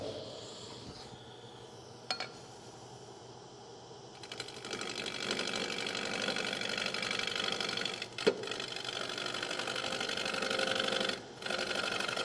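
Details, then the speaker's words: Wood lathe turning an emerging bowl: fast rattling chatter as the tool meets gaps in the spinning blank, an interrupted cut, much louder than the later continuous cut. "now you can hear the different noise when I'm um when I'm cutting out here it's an interrupted cut when I get to about here it becomes a a continuous cut and then and the noise is much lower"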